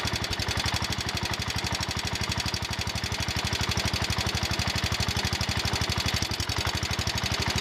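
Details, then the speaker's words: John Deere 110 garden tractor single-cylinder engine after rod knock repair on a worn engine; quick, even putter at idle with light lifter ticking and belt rattle, no heavy bottom-end knock. Normal idle. "okay that sounds better now I hear the lifters ticking and some other stuff rattling sounds like the belts flopping around some but I don't hear a rod knock"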